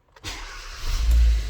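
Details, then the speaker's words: 2018 Kia Soul, an accident-damaged Copart rebuild, after clearing MAP and TPS codes: quick crank, then a clean catch into a steady low rumble; it was dying before; normal start. "Oh yeah. That sounds so much better than it did before. It was just like kind of dying before."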